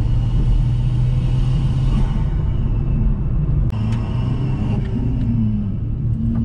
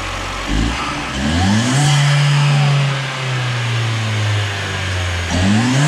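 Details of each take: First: Big-turbo swapped second-generation Chevrolet Cruze running about 30 psi, on a road drive: lifting off brings a rapid fluttering chuff from the intake over steady engine drone, the turbo struggling on deceleration, compressor surge. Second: Second-generation Chevrolet Cruze turbo petrol engine, just fitted GFB diverter valve, revving in neutral (only 5-7 psi, not a full valve test): climbs smoothly, holds steady, drops back cleanly without flutter or rattle; healthy.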